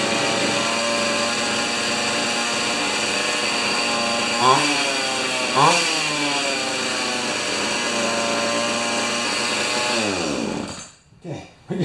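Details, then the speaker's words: Pioneer Partner 500 two-stroke chainsaw idling with a fast, steady buzz and two quick throttle blips before shutdown; idle speed set too high and needs turning down slightly. "get that idle turned down just a little bit"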